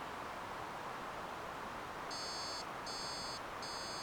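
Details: Prusa XL 3D printer after swapping all three boards (including sandwich board) from a second printer, fault persists with error 17513: three short even high beep bursts over quiet hiss, error alarm.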